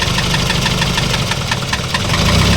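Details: Isuzu 4HL1 electronic diesel with a sharp, regular knock about seven times a second over a rough low rumble, smoke puffing from the dipstick in time with the knock; louder when revved, valve clearances fine, external parts ruled out; piston slap.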